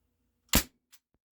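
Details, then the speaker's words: Crosman 1077 wood-stock CO2 air rifle on older Crosman 12-gram cartridges firing Gamo Raptor pellets, after a suspected valve-block piece was removed: single sharp crack with short echo and a click, no leak hiss; better gas bursts, normal shot. "Just sounds like I'm getting better CO2 gas bursts now."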